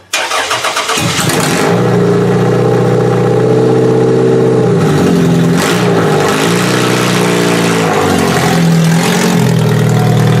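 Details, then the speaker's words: Toyota Solara demolition derby car after electrical check: brief crank, catches within a second and runs smooth and even through a few throttle blips; running really well. "This car sounds like it's running really, really good. I'm pretty happy with that."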